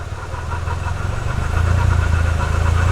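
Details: Nissan S15 at idle. A low, uneven, lumpy pulse about four times a second that never smooths out; it runs rough, cause not yet found, and the motor seems healthy.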